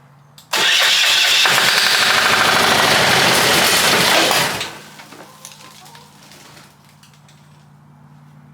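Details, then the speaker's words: Long-sitting ex-military Hatz 1B20 single-cylinder diesel pressure washer, battery hooked up and solenoid pump removed. A loud, harsh cranking roar for about four seconds fades without settling into an even idle: a rough start. Cause suspected, not confirmed. "that didn't sound too good this one will run we were working on the wrong engine the whole time"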